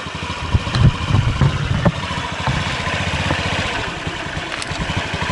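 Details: 2003 Honda Ruckus scooter after replacing the carb jet, since the old jet was useless. The single putters at about three beats a second with a light clatter and settles into a fairly even idle. Normal idle.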